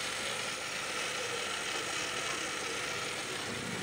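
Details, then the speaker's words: Honda Accord at idle with steering turned: harsh, steady, gritty whirr from the power steering pump, recently replaced by owner, still noisy; air in the system and foamy fluid from incorrect bleeding. "Hai net suaranya itu berasal dari pompa power steering nya"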